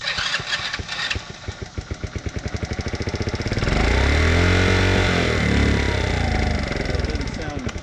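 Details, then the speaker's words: Vintage motorcycle from a trailer batch being revived, started with the choke on. Little single putters with an uneven beat, revs swelling and sagging without settling. It runs but roughly, and the cause is not pinned down. "doesn't sound super good but that's not part of the plan the plan is that it had to run right that one runs"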